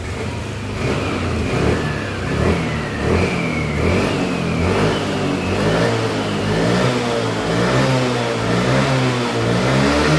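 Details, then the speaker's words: Yamaha Lexi 125 scooter after fixing its fuel injector: throttle blips climb cleanly and drop back smoothly, no holding back or stumble at full throttle; normal free revving. "Nah sekarang dia sudah tidak nahan ya untuk gasnya sudah lepas semuanya jadi tidak ada nahan-nahan untuk gasnya oke ya jadi Pik permasalahannya di injektornya ya"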